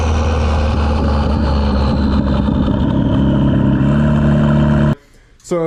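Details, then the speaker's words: $200 station wagon with new GMC Typhoon/Syclone turbo, boost controller turned up, driving: engine pulls hard under boost then abruptly cuts out as fuel cut is hit. Rev limiter fuel cut. "could probably hear there i hit fuel cut so i have the boost controller turned up a little bit"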